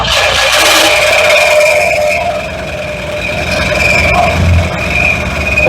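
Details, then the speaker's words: Mercury Cougar first start after installing spark plugs, gas poured in, battery low on charge; engine catches and runs fairly evenly with a thin steady squeal on top from a rubbing pulley; running after first start. "Well, I would say that's pretty smooth running for the most part."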